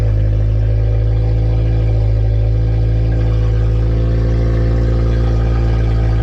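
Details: Honda EF sedan with K20 engine swap, first start (injectors were the earlier no-start problem), alternator charging being checked: loud, deep exhaust drone at steady, even idle, no knocks or misses; running cleanly on its own.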